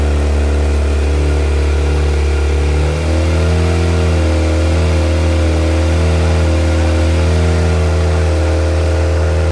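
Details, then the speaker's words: Viking engine in CH-750 aircraft, run after external charger disconnected, on batteries and alternator (which had simply been switched off), alternator charging; steady, even hum lifting smoothly to slightly higher speed and holding, no surging or missing; normal engine run-up. "now we have disconnected our in charge or externally we can turn both batteries along and ending on out run on the alternator is charging so that's another so everything is working as it should in the airplane"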